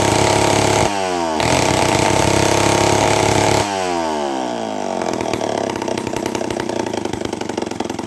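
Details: Homelite 500 chainsaw with no muffler, first test run after a carburetor rebuild with Hi and Lo needles opened 3/4 turn each: a loud unmuffled two-stroke crackle blips up and down twice, then holds a fast, raspy, steady run; normal running.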